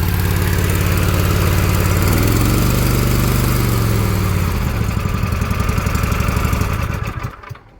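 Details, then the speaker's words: Toro TimeCutter 42-inch zero-turn mower after cleaning its slime-corroded carburetor jet: the single-cylinder engine starts with a little choke, pulls up smoothly, holds a steady even beat and winds down cleanly at shutoff, running like new. "started it up fired right up ran motor ran and you know now it starts choke a little bit runs like a brand new"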